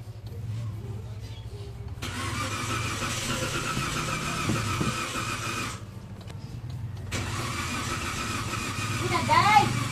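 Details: 2015 Toyota Avanza: starter spins the engine in two long bursts at an even pace but it never fires or catches; cranks without starting, cause unclear.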